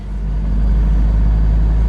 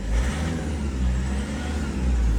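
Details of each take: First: 2010 Toyota Innova, after steering column boot replacement for heavy noise at 60-70 km/h in 4th/5th gear: steady low engine hum in cabin, no rubbing, knocking or whistling; noise gone, cabin quiet and healthy. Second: 2010 Toyota Innova, complaint of heavy engine noise entering the cabin at 60-70 km/h in 4th/5th gear: steady low engine drone loud inside the cabin, leaking through the torn lower steering column boot.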